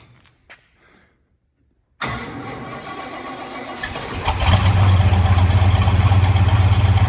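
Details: Chevrolet El Camino cold start, first in several days on a cold day (gauge reads 58 but it's colder outside), no pedal pumping: short crank, catches at once, strong even idle rising slightly. A clean cold start.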